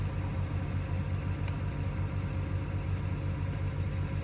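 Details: 2008 BMW 335i with N54 engine, service engine light on while driving: low idle with an uneven, lumpy pulse, a suspected misfire; codes not yet scanned.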